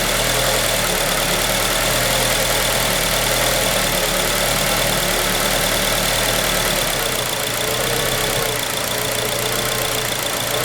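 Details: 2003 Acura RSX Type S idling: uneven, loping beat with a lot of hiss over the top; rough idle, cause unknown.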